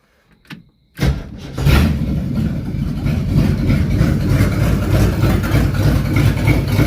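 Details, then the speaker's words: 1969 Ford Mustang started right after a new fuel pump was fitted, with no exhaust on it yet: cranks and catches, then a loud, uneven, lumpy rough idle. Timing and carburetor not yet set; owner suspects it may just be loading up. "Get the timing set, get the carburetor set, then really see what it sounds like. Because it might just be loading up, I don't know."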